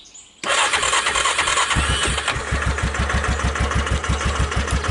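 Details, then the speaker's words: Wrecked 2005 Yamaha Kodiak 400 4x4 ATV, first start on starting fluid after freeing a seized recoil starter: silence, then the single fires and settles into an even thumping idle, no knocks or misses, no smoke; healthy start and idle. "oh my god no it runs i like that that's a good thing"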